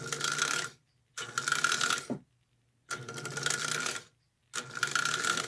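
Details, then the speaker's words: Marx 999 toy locomotive, first test-track run before restoration, brushes suspected dirty: buzzy whirring runs about a second each with gaps, light clicking gear chatter, pulling strongly; good motor, reversing unit cycles clean, normal toy locomotive motor run. "Not bad. Yeah, that's not bad at all. Okay, so we know we got a good motor at least to start with."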